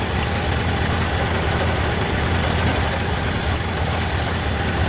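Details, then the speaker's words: 1966 Cadillac DeVille stored about 30 years, Carter AFB carburetor: V8 idling with a lumpy, uneven beat and no steady rhythm. Rough running; ignition suspected over fuel, not confirmed. "50-50 whether or not it's ignition issue or a fuel issue I'm going to go on a limb and say with how clean this appears on the outside someone's been through it and we're probably experiencing an ignition issue"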